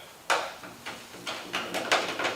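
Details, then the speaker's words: 1964 VW Beetle roof after collision damage, dents pushed out with a 20-ton porta power, paint being stripped to bare metal: several sharp irregular tinny pops as the stretched roof skin flexes and snaps back, oil canning (tin can). "Did you hear that? That's called tin can. Here's another one."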